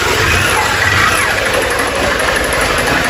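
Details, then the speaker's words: 160cc motorcycle engine running with busy clatter and rapid metallic knock that three mechanics couldn't find; piston slap from a scored, worn cylinder, with rocker, cam chain and tensioner also to be checked. "Bem, esse barulho todinho que vocês estão ouvindo aí, pessoal, é isso aí, ó. Original, não, original, >> ó. Cilindro riscado, gasto, fica uma batedeira impressionante, pessoal."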